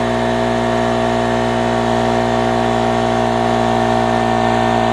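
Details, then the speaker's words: Harbor Freight 900 W two-stroke generator loaded with an 800 W heater, its maximum: steady heavy droning hum, engine bogged and straining, voltage dropping; overloaded at its rated limit. "can see the voltage is down you can hear straining right I mean there is heat coming out of it but you can hear that it doesn't particularly care for that"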